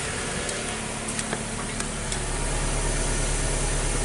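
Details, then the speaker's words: 2014 Nissan Sylphy petrol engine after plugs and the cylinder 4 coil were replaced for a P0304 misfire and codes cleared: steady, even idle around 800 rpm with a smooth low rumble, no stumbling; check-engine light off. "so we're gonna clear the the BTC and I'm gonna start this vehicle up again and see what's good so we're not feeling the misfire"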